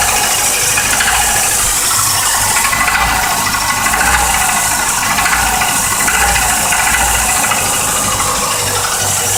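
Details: 1986 Volvo 240 at cold-start idle: a loud, busy metallic knocking clatter under the engine note, from a bad case of piston slap.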